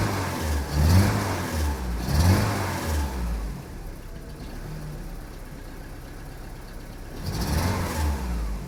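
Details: Saab 900 8-valve with Bosch K-Jetronic, after sitting unused and an alternator fix: three throttle blips from idle, each hesitant and uneven; stumble going off idle, first suspected in the fuel distributor.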